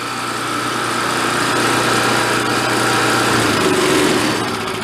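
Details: Vintage Coleman Powermate 1500 W generator, long sat unused, just revived and running without its air cleaner: steady fairly even buzz with slight loudness swells, no stalling or hunting; runs decently.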